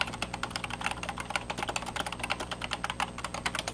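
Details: Old rubber-dome keyboard shift key: quick hollow clacks with a tinny rattle on each press from the dry metal stabilizer wire knocking in its plastic clips.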